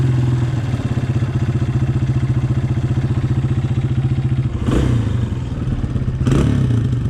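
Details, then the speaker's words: 2003 Honda CRF230F after carb rebuild and jet tuning, choke off, still warming up: even, steady idle at about 220 beats a minute with two short throttle blips. A slightly hanging idle means it is still a touch lean. "Seems to be idling nice. Now has a little bit of a hangy idle, which means it's still a little bit lean, but we'll let it warm up."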